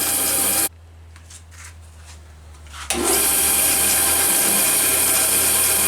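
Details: Craftsman band saw with broken table, after realigning so blade tracks straight: steady hum then bright rasping cut through wood at even speed, no thumping or belt slap; running fine.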